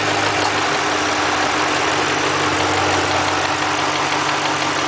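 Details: 2005 Mustang GT V8: even idle with a soft rhythmic clatter about three a second; the cam phaser making its normal harmless noise, nothing wrong.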